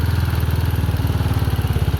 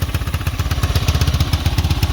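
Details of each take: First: Chinese 250cc single-cylinder ATV with a new carburettor, choke off: fast, even thumping at about sixteen beats a second. Idle speed set too high. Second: Chinese 250cc ATV after a new carb, new battery and oil, and a charging fault fixed by splicing a broken yellow wire, now charging about 12.48 V: an even, steady single-cylinder idle thump with no knocks. Normal idle.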